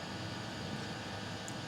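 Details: Custom Webasto water heater and Chinese diesel heater hybrid at max, hot after about 5 more minutes; radiator almost 90°, burn chamber 140, exhaust about 120, water pipes 60 and 86; steady even roaring hiss, no pulsing or popping; normal full-output burning.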